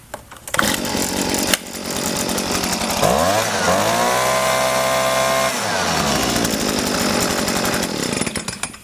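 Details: Small two-stroke leaf blower that wouldn't start after storage with an empty tank, refilled with gas: catches after a few pulls, climbs to a steady high buzz and holds it evenly; now running fine.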